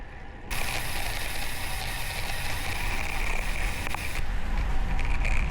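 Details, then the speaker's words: Gusto GTR Sport TE road bike, 5 months old, new Vittoria Corsa Pro 30c tyres and Dark Energy wax chain lube, riding on the road: steady road and wind rush with a light freewheel tick. The per-stroke click once heard under load on hills or in heavy gears is now gone; the drivetrain sounds healthy. "坂道や重いギアで負荷をかけると、回転するたびにカチカチ音がするのですが、今試してみたところ、今のところ一度も音がしていません。"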